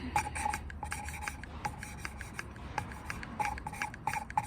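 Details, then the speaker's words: Valve lapping with coarse grinding paste, the valve rocked and rotated under light pressure on its seat: gritty rasping strokes in short uneven bursts show the paste cutting properly, continued until the pits are gone. "and if you listen carefully, you can actually hear the grinding paste doing its job. You can hear that doing its job."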